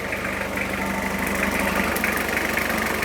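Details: 1991 JDM Toyota Cresta restarted after sitting about 10 years in a shipping container, running as before: even, settled idle with steady low hum, no knocks or stumbles; normal idle.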